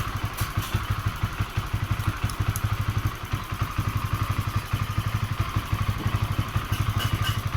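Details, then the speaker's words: Honda CBR 150 LED (new model) at idle with stored fault code 12 (injector problem): uneven idle about three pulses a second, stumbling and jerking; owner suspects poor pulser socket while wiggling it; unconfirmed. "Nah, di sini kayak ada nyendal-nyendal gitu loh mas bro."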